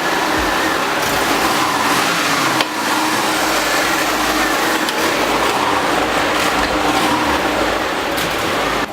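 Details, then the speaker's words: Subaru Impreza wagon EJ25 first start after head gasket, heads and timing reassembly: started first try, steady even hum, smooth regular running, no knocks or taps; healthy idle. "Look at that. Still sounds healthy."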